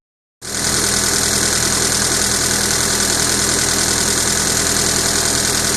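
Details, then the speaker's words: Honda Civic with a freshly rebuilt engine at idle, before valve lash adjustment: loud fast, fairly even valvetrain clatter about three or four ticks a second from loose valve lash; ignition timing also suspected off. "the valve trim seems a little noisy so we're gonna go through a valve lash adjustment"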